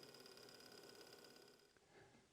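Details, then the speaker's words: PC rattles at startup and is louder than before: a fast buzzy rattle over the fan whir, like a tiny two-stroke. Likely cause is a loose wire or cable slapping the CPU fan blades. "the most likely cause of that noise is a wire that's come loose and is banging against the fan."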